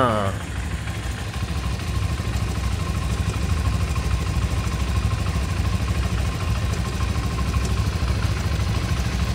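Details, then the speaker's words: Modenas Z15GT single at 2,772 km, freshly started at idle: a light, fairly quick tick over the low thrum, like a con-rod noise, owner suspects the middle or top-end area, cause unknown. "Bunyi dia macam bunyi corroad. Bunyi jelah bunyi macam bunyi corroad. Tapi bunyi apa tu tak pasti."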